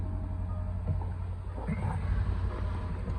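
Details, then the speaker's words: 2010 Land Rover LR4 5.0 V8 after swapping in a TCM and valve body (ZF 6HP28) from a 2012 LR4 to fix code P0915, codes cleared, oil at max, in off-road height: low, smooth, even idle with no ticking or stumble; healthy. "So you can hear it's running really good. Sounds good. It's dark. Engine sounds really good."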